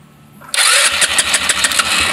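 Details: Rusi Flair carbureted GY6-type scooter, fuel gauge showing three bars yet no gas reaching the intake manifold: starter whirs, engine spins fast with uneven puffs but never runs on its own; cranks but won't start, carburetor running dry.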